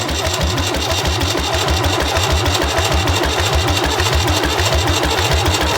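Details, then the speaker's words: David Brown 990 diesel tractor cranking after oil and fuel filter change and bleeding the injection pump and injectors: steady rhythmic cranking, engine beginning to catch, smoking; fuel reaching injectors, return line heard draining to tank. "It's getting fuel. I can hear the return line draining back to the tank."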